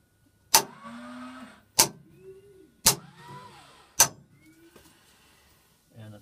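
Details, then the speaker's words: S-2T aircraft cockpit power-on check of the hydraulic shutoff valve: each switch flip gives a sharp click, then a short steady whirr of the valve's electric motor for about a second, four times. The valve motor runs normally. "so you flip the switch and hear the electric motor for the valve running"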